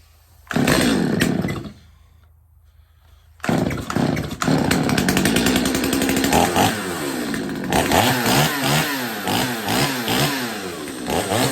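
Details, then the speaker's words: Stihl 025 chainsaw after carb tuning, chain sharpening and bar repair, test run to oil the dry bar and chain: fires up and revs up and down cleanly with an even, crisp two-stroke bark; running smooth and healthy. "let's give it another run um the bar and chain are pretty dry right now so I want to get it oiled up you know"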